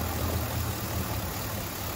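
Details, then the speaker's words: 2010 Chevrolet Silverado 2500 6.0L V8 at idle, misfiring after towing a camper: rough, uneven stumbling idle that never settles, scan tool showing erratic RPM; traced to damaged engine harness wiring. "I have well it's running so bad 8,300 RPM either the tax lion or this is lying this is running terrible desired idle speed something is incorrect bad stuff is happening right now"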